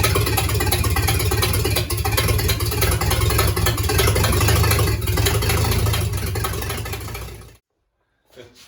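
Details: Rebuilt 1953 Dodge flathead, 228 ci bored to 237 ci, very first start: loud open even firing, no knocks or misses, for several seconds before shutting off; healthy start and idle.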